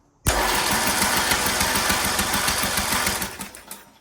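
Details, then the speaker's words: Poulan Pro PP175G42 riding mower that sat outside for years, starter jumped directly with key on: even cranking about three to four beats a second for roughly three seconds, with spark; cranking sounds healthy. "Well, got spark, we got crank. Actually sounds pretty good."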